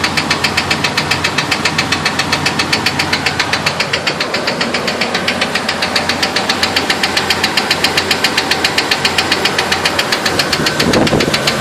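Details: 2000 Jeep Wrangler petrol engine running: a sharp even knock about four times a second, tapping steadily.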